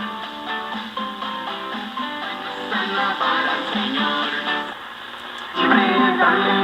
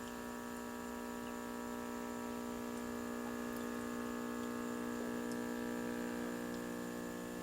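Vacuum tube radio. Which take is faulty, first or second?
second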